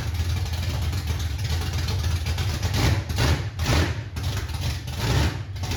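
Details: 1968 Ford Mustang, cold start with no exhaust fitted: loud, lumpy open-pipe idle with a few throttle blips, firing evenly with no knocks or misses; normal start, may need a little more idle.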